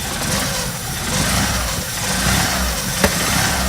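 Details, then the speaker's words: Opel Manta with cam belt moved one tooth forward while tracing lumpy running; uneven stumbling revs with a sharp pop, confirmed misfire, so timing is not one tooth forward and will be set back. "Yeah, misfire. Yeah, 100%. Alright, so we know it's definitely not 1 tooth forward then."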